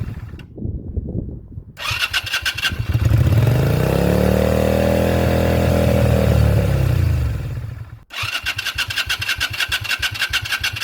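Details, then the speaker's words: 2001 Yamaha XVS125 Dragstar, unstarted for 3 years, battery fitted, oil checked, fuel on: steady starter cranking, engine never catches; crank no start, carburetor cleaning, float needle check and fresh fuel planned. "ठीक है जैसा कि आप देख सकते हैं कि कसाई भागना नहीं चाहता है इसलिए हां, थोड़ी जांच की जरूरत है"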